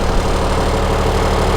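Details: 1998 school bus with a new Cummins-built replacement engine, just picked up after installation and test driving: steady, even low diesel rumble at idle with no knocks or misses; sounds healthy, normal idle.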